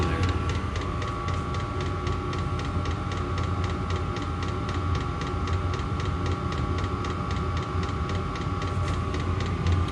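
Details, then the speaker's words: OMT 8kW diesel heater in a garage, warm after about 15 minutes of running: loud steady fan and burner roar with a regular pump tick about four times a second. Exhaust also loud. Normal running. "all right this thing's kind of loud it's been running for about 15 minutes it's nice and warm"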